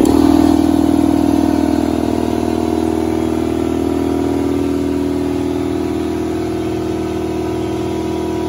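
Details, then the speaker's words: Ingersoll Rand 60-gallon air compressor after fitting a modified Solberg FS15075 air filter assembly: deep, steady pumping hum with an even beat of about four a second; deeper and less annoying than with the original filter, running normally. "with that solberg on there it's quite different it's a lot deeper and a little less annoying than it was"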